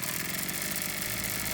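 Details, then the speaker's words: Maruyama MB228V brushcutter, about 10 years old, long abandoned and non-running, after maintenance including Walbro WYK diaphragm carburetor, fuel primed: two-stroke starts on first pull and holds steady buzzy run, idle not yet adjusted; normal running. "Động cơ đã khởi động ngay lần đầu tiên. Tôi chưa điều chỉnh chế độ chạy không tải hoặc dây điện, nhưng mọi thứ có vẻ ổn."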